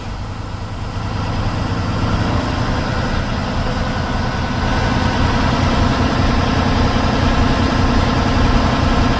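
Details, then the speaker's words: Class 1 truck diesel during an air brake pre-trip check, primary tank fanned down to about 100, then raised to 1200 rpm. The note rises from idle to a firmer, even drone as the governor cuts in and the compressor loads, working normally. "And I heard a sound change that tells me that my governor and air compressor are working. I'll just raise the RPM to 1200 and shows that my governor is at the loading stage."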